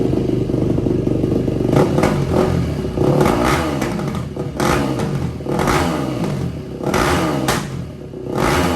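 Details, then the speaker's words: 2004 Yamaha WR450 single-cylinder dirt bike after carb cleaning and valve adjustment, with the restrictive exhaust part (bolted at the side) removed and the engine hot: crisp bark through repeated blips, revs rising and falling freely, running healthy. "Okay, this exhaust is way too restrictive. I think we can take this 8mm bolt out on the side here."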